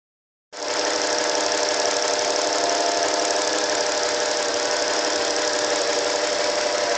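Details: 1988 Acura Legend with a weird engine noise: it starts and settles into a fast, fairly even tick of about four per second over a hissy run; the source is unknown.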